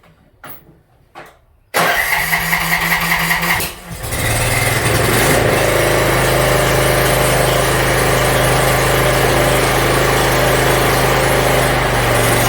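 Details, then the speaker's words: Yard Machines MTD 42-inch riding mower after new starter, cleaned carburetor and freed stuck emergency shut-off: engine cranks briefly, catches within two seconds and settles into a steady, even idle with no misses; runs pretty good. "all right looks like it runs pretty good"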